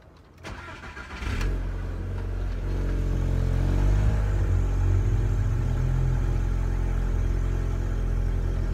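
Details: Car just fitted with a big turbo and repaired manifold, first start after reassembly: cranks briefly, fires and settles to a smooth steady idle with no stumble or misfire; healthy start.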